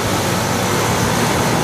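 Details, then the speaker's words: 2007 Tempstar heat pump outdoor unit (Copeland compressor) in cooling mode at about 70s°F: steady outdoor fan whoosh over low compressor hum just after switching on, blowing warm air out the top; normal start-up in cooling mode. "And this is a 2007 Tempar. And it just turned on. And it just turned on."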